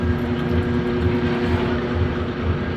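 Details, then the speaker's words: Brunswick A2 bowling pinsetter single-phase motor after the missing middle contact piece was fixed: starts right up, steady low hum with even mid tone and soft drive pulses, no grinding; normal motor run. "turn it on starts right up we'll test it a couple of times make sure it doesn't have any starting issues or other running issues so start looks good run looks [Music] good"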